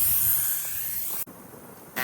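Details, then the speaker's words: Screw-on air-down deflators; strong steady high hiss that cuts off then resumes, still bleeding air, deflating properly; hiss calming signals to shut off. "If you do use these kind of inflators, I've noticed it's still, you can hear that hiss pretty strong. As soon as that hiss kind of calms down, that's your key to shut it off."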